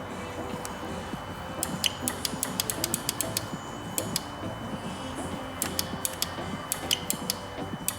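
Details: 2014 Ford Explorer 3.5L, engine off, intake oil control valve energized (power on green, ground via yellow): sharp, crisp, strong clicks repeating; solenoid actuating normally, while the exhaust valve quits after two clicks and is judged bad.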